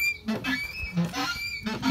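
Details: Skoda Octavia Tour windscreen wipers cycling, squeak persisted after many blade changes: short squeak bursts roughly every 0.7 seconds from the dry wiper linkage pivots, which need grease; wiper linkage squeak.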